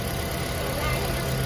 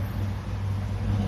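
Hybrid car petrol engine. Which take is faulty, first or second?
second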